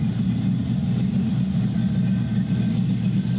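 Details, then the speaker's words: Chevy 5.3L V8 on run stand with stock cam, before NSRx Stage 3 cam swap: low even rumble with steady beat, no chop, misses or ticking; 50 psi oil pressure, smooth healthy idle. "Yeah, we're 50 pounds of oil pressure. But as you can tell, nice and smooth. Not really any chop or anything back"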